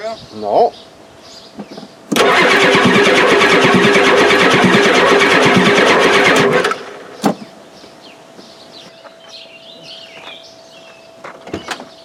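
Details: 1993 Ford F-250 7.3L IDI diesel, injectors recently replaced, injection pump suspected out of time: starter cranks steadily for about four seconds at roughly three turns a second and the engine never fires; extended cranking with no start.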